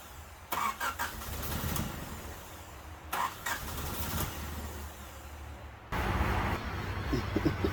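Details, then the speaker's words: 1988 Honda Civic Wagon with a swapped 90 RT 4WD engine, reportedly running when pulled, cranked again after reconnecting the injectors. Several bursts of even starter cranking, but it never fires: crank, no start. Owner suspects timing, unconfirmed. "you know it should if the engine was good it would start and it would run um there's something not right with it it has to be timing"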